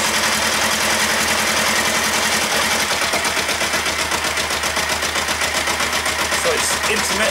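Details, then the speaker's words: Kawasaki ER-5 twin after head reassembly, valve clearances checked and all new plugs: fast, uneven thumping idle skipping beats, right-hand cylinder giving up intermittently; intermittent misfire, owner suspects ignition coils or carbs. "It sounds like this cylinder, the right hand side when you sat on it, is giving up. It's a bit intermittent."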